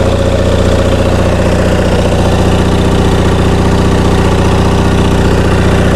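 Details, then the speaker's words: Onan MDJE twin-cylinder diesel genset on a temporary cooling system, generator producing only 9–10 V residual: a firm, regular thump about 2.5 beats a second, steady with no misses; a healthy idle. "Well, I think we've determined we got a pretty decent engine here, and it's time to concentrate on getting this generator end working."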